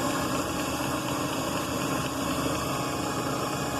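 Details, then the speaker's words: Delta Milwaukee DP220 drill press on its slow-speed pulley, motor just remounted, belt possibly needing tightening, new belt or dressing suggested: even steady hum with no knocks, squeal or grinding; running normally. "now I put it on the slow speed yeah that's definitely look at that that's a lot slower feet here"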